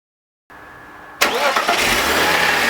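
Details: BMW E46 M52TU B25 engine, VANOS connected: cranks and catches, then harsh gritty grind over idle with RPM drop, more noticeable at startup; absent with VANOS disconnected, suspected VANOS grinding.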